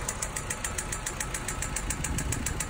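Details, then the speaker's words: Hyundai Sonata reported as a blown motor: rapid, even knocking over a rough idle, about four to five sharp raps a second with a steady rumble underneath; serious rod knock. "Okay, here's the problem with this Hyundai. It has serious rod knock."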